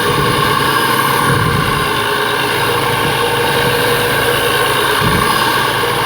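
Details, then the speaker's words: BMW 335i twin-turbo, heard through a stethoscope with the engine raised in rpm: a steady droning groan with a hum under it. Louder at the tensioner, so a tensioner bearing is suspected, unconfirmed. "well I believe it might be coming from the tensioner bearing down there um and when I give it more RPMs the groaning sounds like it's coming from there"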